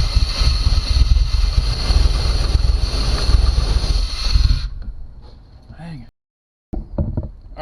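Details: 1991 Chevy Caprice auction car, 5.7 throttle body 350 V8, with no fuel at the injectors: it catches on a shot of brake clean, runs ragged about four seconds, then winds down and quits; fuel starvation.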